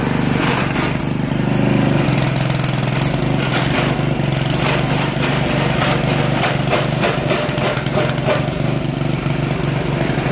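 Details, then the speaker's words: Poulan Pro 800 Series 26" walk-behind tiller, Briggs & Stratton 105cc, about 12 years old, first run since last fall. It chugs with an uneven beat and stumbles while the tines rattle on cement. Runs a little rough; owner thinks the carb needs cleaning and the choke bounces. "Gonna need to clean the carb. I think a little bit it's running a little rough, but it is running."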